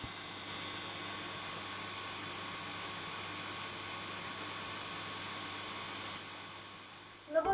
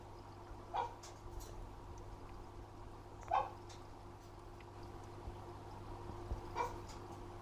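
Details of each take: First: Fluval FX6 aquarium canister filter before cleaning, after 3–4 months of use: quiet steady electrical hum with a high whine, loud compared with the barely audible hum after cleaning, then handling clatter; dirty filter needing a wash. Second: Fluval FX6 aquarium canister filter right after cleaning: only a faint, even low hum, barely audible, with dogs whimpering nearby. Normal quiet running; it hums loudly every 3-4 months until washed.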